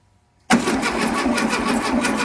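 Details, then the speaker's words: 1972 VW Beetle that sat over three months in the Seattle rain, first start attempt after charging the battery for 3 hours: steady cranking at about four or five turns a second that never fires. Suspected too wet to ignite, no spark; the engine isn't seized. "Well, it's really wet. I'll bet it's so wet that it just can't ignite, Yeah."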